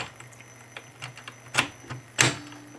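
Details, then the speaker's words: Tandberg TCD310 cassette deck: play solenoid clunks and light ticks over a faint hum with no tape spin, because the drive belt came loose, so fast forward and rewind don't work. "There's no spin because the belt just came loose. So you can't fast forward and rewind."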